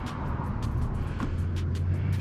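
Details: Sea-Doo GTX direct-injection two-stroke jet ski, roughly 950–1000 cc, auction non-runner revived with new spark plugs, battery and fuse, 132.8 hours: steady low even drone, no misses or knocks; running normally.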